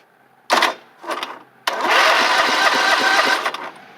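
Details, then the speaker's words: Toro Wheel Horse garden tractor, bought cheap and sitting, first crank on battery boost: a couple of short bursts then steady fast chug as the starter turns the engine freely; cranks over, not seized. "let's hook up the battery and just see if it'll crank over for us"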